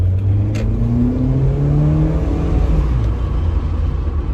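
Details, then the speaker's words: 2002 Mitsubishi Lancer automatic on first shakedown drive after ignition parts replaced and throttle cable adjusted: engine pulls cleanly under throttle, pitch climbing and dropping at each shift with no clunk or flare; smooth acceleration and shifts. "man, smooth, you guys. Hold on, let me switch it. Look how smooth that went, and then the shifting on it. Oh man, it was smooth."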